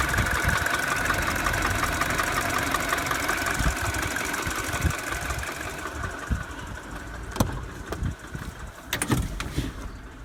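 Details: 2007 Mini Cooper (non-S) N12 petrol, cold start idling: fast light ticking from the left side of the engine, quieter as revs drop on warm-up, barely noticeable above 2000 rpm; began after an hour of motorway driving; new tensioner didn't fix it.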